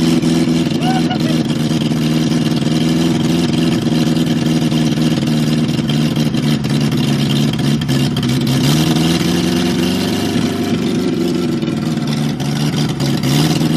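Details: 1969 Ford Capri barn-find petrol engine with twin Weber carburettors, first run after revival: it runs steadily, revs up cleanly when blipped and returns evenly; it runs fine.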